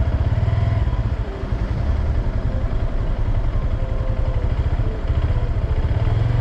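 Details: New 2022 Honda Grom, under 3 months old: transmission noise after 10–30 minutes riding, starting at 90+ km/h full throttle in 4th/5th, clearest slowing below 50 clutch in; low rough clatter under engine note; downshifts mushy, owner suspects mechanical failure.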